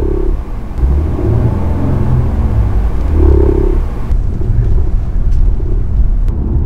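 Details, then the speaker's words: Genesis G80 (all-new), parked in neutral, accelerator pressed: low rumble with hollow droning hum that swells and fades as rpm rises; also heard when coasting and light braking downhill; injectors replaced earlier for shaking, dealer cannot find cause. "서있는 상태에서 엔진을 중립이 다 놓고 가서 패달을 밟았다 뛰는 순간 언어 rpm 쪽이나 서쪽의 왔을 때 후라고 소리가 납니다"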